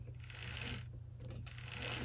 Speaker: this is how the same helicopter sounds after greasing the oneway sprag so try to listen for the uh squeakiness that's right there's no squeakiness even if I do a close